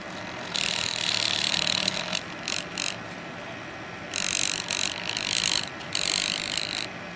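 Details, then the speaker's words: Akula 3V flashlight device with BUZ11A MOSFET, bobbin not split: with the ferrite core's holding spring removed, the loose halves chatter in intermittent bursts of high rasping buzz. "now i'm going to take the spring off the ferrite that holds it together can you hear that okay so it's definitely chattering right now"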